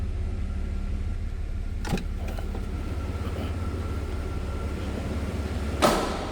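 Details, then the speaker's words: 1991 GMC Sonoma SLE 2WD, 4.3 L V6, one owner, 18,408 miles, under-hood running with AC off: steady, even low idle, no knocks or ticks, a couple of brief nearby clunks; normal idle. "Sounds pretty stock, which you'd expect. And I don't have the AC on right now, so you won't hear the clutch kick on and off."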